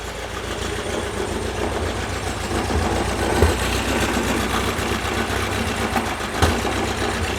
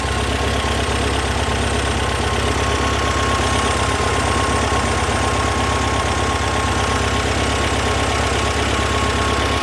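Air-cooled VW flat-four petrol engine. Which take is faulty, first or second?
first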